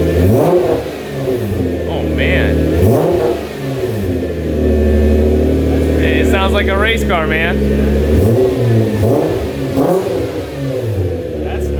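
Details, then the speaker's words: Repaired salvage 2010 Nissan GT-R R35 started and revved lightly; strong, even engine note climbs smoothly through several clean blips and settles back without misses, knocks or rattles; normal revving. "a cluster looks good yeah it sounds really nice especially when you rev it up it's got that high-pitched noise"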